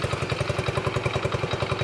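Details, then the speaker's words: Vintage Honda motorcycle, possibly single-cylinder, from a trailer batch; it started straight away with fuel present, spark and a working charging system. Quick, even exhaust pulses at a steady idle with no misses or knocks; a healthy idle. "oh and it's idling it is a Honda guys that's one one down"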